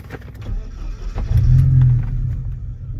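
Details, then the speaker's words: 1989 Porsche 944 Turbo, engine already warmed up a little; brief crank then immediate catch into a steady, deep, even idle, starting right up with no issues, healthy start. "so as you see, car starts right up. Uh, no issues with that."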